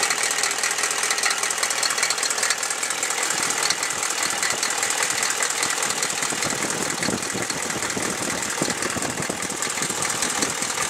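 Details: Chevy 6.5L diesel idling as it warms: loud, ragged knocking, two or three per second, over a rough idle. It starts only once warm, so the owner suspects a valve or rocker arm needing adjustment; the cause is unconfirmed.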